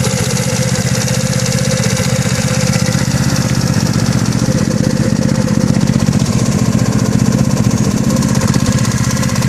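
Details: GY6 180cc scooter engine idling with a sharp knock on every turn, roughly three a second, over the exhaust note; knock has grown louder recently, owner thinks it comes from the head but is unsure.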